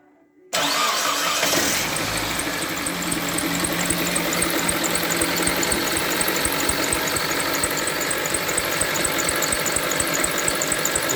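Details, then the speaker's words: Mitsubishi Lancer X started up with a big engine knock and oil spraying everywhere: it fires and settles to a fast idle with a steady light ticking knock. The cause is a broken crankshaft pulley rubber with its bolt worked loose, and the pulley was replaced. "всем привет сегодня у нас lancer с большим стуком в двигателе и вот у него масло летит немножко все в брызгах запускай будем слушать"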